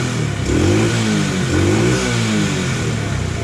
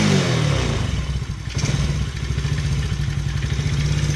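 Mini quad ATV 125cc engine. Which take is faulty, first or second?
second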